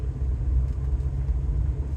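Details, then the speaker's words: Rolls-Royce Silver Shadow with SU carburettors, driving after partial carb tuning aimed at part-throttle hesitation: low, even rumble under way with no misses, surges or knocks; engine runs smoothly despite an exhaust leak. "I would call this completely drivable can't wait to do the proper tune very smooth Runner I got to say even with the exhaust leak the car is really quiet on the inside and the engine is smooth now"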